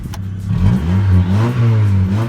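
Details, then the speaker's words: Honda EK Civic, manual, about 40,000 miles, damaged salvage-yard car, free revs: engine picks up cleanly and settles, pitch rising and falling smoothly with each blip, no knocks or rattles; engine definitely sounds healthy. "But the engine definitely sounds healthy."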